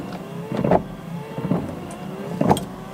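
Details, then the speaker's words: Honda S2000 windshield wipers after fitting new wiper blades: steady motor whir with an even sweep about once a second, no chatter, skipping or rubbing on the glass as before; normal smooth wiper operation. "look it doesn't struggle anymore and you can't hear any more effective when you try it you hear it kind of struggle like it kind of skips a beat and it's rubbing against the class but now look at these look how smooth it is"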